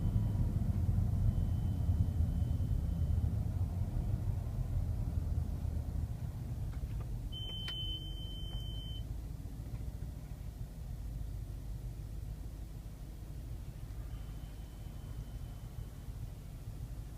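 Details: 2011 BMW X5 xDrive50i: a faint, high-pitched beep from the front console or glovebox area, heard only when moving slowly under 30 mph; the owner suspects road noise masks it at higher speed.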